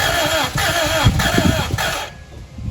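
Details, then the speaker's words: 1991 Acura Integra LS, first start in years after new fuel pump, fuel pressure just relieved: starter cranks steadily and speeds up with compression pulses and a smoke puff but never catches; clogged injectors suspected. "I did see a puff of smoke come out. I mean, I hear the compression. So we're getting compression, but we need to do some more diagnostics."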